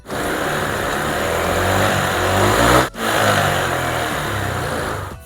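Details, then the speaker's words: First-generation Honda Click 125i scooter, milky white engine oil from water ingress, after replacing a broken bearing: revs blip up cleanly and settle to a smooth quiet idle, earlier loud noise gone; thin white exhaust smoke still seen. "เสียงเงียบปกตินะครับเสียงนุ่มเดินเบาปกติเบิ้ลคันเร่งเลยปกตินะครับใช้ได้แล้ว"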